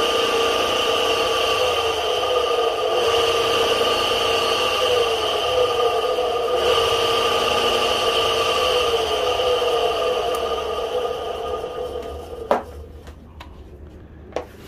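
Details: Repaired kite-line winding machine, winding line to the end of a reel: steady even hum and constant whine, no knocks or rubbing, then clean spin-down; normal running.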